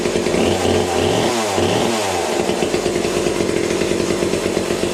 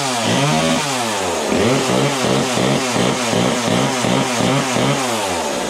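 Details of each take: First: Vintage McCulloch chainsaw first run on a replacement bar and new chain, oiler not working: steady high buzzing two-stroke note that holds through a brief rise and fall; saw runs smoothly and healthily. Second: Vintage McCulloch top-handle two-stroke chainsaw (about 37 cc), new old-stock bar and chain: revs hard then settles to buzzy uneven idle with chain still spinning at low idle; owner suspects worn clutch springs.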